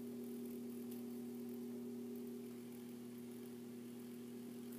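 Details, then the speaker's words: 42" Hampton Bay Littleton ceiling fan at low speed with globe fitted: steady low hum with bright buzzing tone on top from a loose little screw chattering in the light kit; absent without the globe. "oh it's this little screw that's buzzing around so like it does and now a low speed yes the screw i like it is buzzing around real bad"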